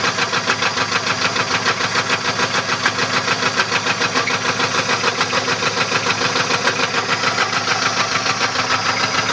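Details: 1994 Chevrolet LT1 petrol V8 idling with a steady, rapid metallic knock from a bent connecting rod.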